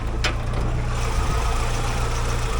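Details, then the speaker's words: 1956 Willys Jeep CJ5, freshly rebuilt Hurricane engine, first drive, stopped for a check before full warm-up: steady even low idle, smooth quiet hum, no knocks or misses, far quieter than before; no oil or coolant leaks; normal idle. "Oh, listen to that baby purr. All right. Way better idle than before. That idle is minty. It would never It never idled this quiet before."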